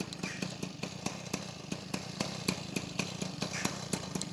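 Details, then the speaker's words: Peugeot 103 SP moped with a newly wired DD ignition, first start. The small two-stroke pops in a quick, even beat at idle, steady with no misses or stumbles. It starts easily and runs fine. "ça démarre bien moins cher"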